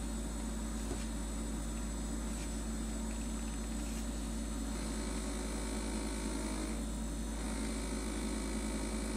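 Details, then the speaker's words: Two-year-old LG LFXS24663S refrigerator, compressor running: loud low buzz around 72 dB from resonance of the plastic condenser drip pan and condenser fan shroud, reproduced by pulling on the fan assembly base. "I can actually just pull on the base and get the noise"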